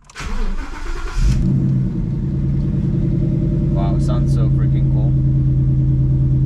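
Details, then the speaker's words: Wrecked 2014 Mustang GT Track Pack (Hertz Penske, 102,000 miles) with GT500 exhaust, run briefly beforehand: the starter whirs about a second, then the V8 catches with a throaty flare. It settles to a deep, steady burbling idle; a normal, healthy start. "And yeah, sounds freaking amazing. The GT500 exhaust is awesome."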